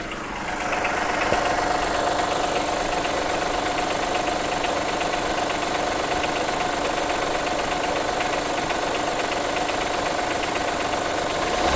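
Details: 2003 Acura MDX V6, 208K miles, misfires on all 6 cylinders, valves ticking, water pump sounds bad, timing belt overdue; regular light knock about four a second at idle; dealer suspects wrist pin or rod bearing, owner suspects jumped timing tooth; unconfirmed.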